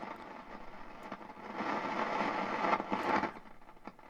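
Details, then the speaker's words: Hallicrafters SX-42 valve receiver with the RF amplifier tubes pulled gives irregular crackles and pops over hiss that worsen with the sensitivity setting. Silver mica disease is suspected. "okay i have the iaf amplifier or the rf amplifier tubes pulled and listen that sounds like a silver mica disease on something"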